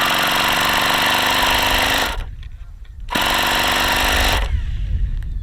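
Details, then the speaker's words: Saito FA-45 two-piece-head ringless model engine, circa 1983, on 5% fuel with lightweight prop, strong compression: loud harsh buzz at high revs with rough gravelly edge through throttle blips; worn crankshaft bearings. "now yeah the bearings are really really bad on this engine really bad you can hear how bad those bearings are this engine is not in great shape"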